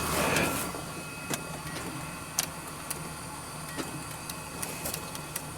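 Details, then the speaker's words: Hyundai Sonata that died while driving after the oil light came on. Key on gives scattered dry clicks from under the hood, roughly twice a second, with no crank; weak battery suspected, unconfirmed. "can you hear that there's like a clicking noise but maybe the battery is weak"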